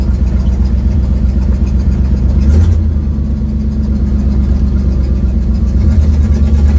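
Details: 1972 Ford Mustang driving home, phone mounted in the dash, leak not yet fixed: loud, deep rumbling drone while cruising, with a rough, puffing edge over the engine note. Exhaust leak.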